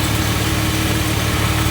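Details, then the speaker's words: Jeep WJ with a new aftermarket VDO electric cooling fan whose plug burned and wires ran very hot, engine reaching 270°F: loud constant droning buzzing hum; fan running abnormally noisy and apparently not cooling. "the thing makes a ton of noise as you can hear and just learn from my mistakes"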